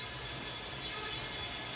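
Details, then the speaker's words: Korg N364 keyboard with no notes played: a constant hiss with faint sweeping whistles from the output, although the external cables checked fine. A damaged internal cable is suspected as the cause but not confirmed. "Al L364 le digo por hacer un ruido extraño, no sé si lo alcanzan a apreciar."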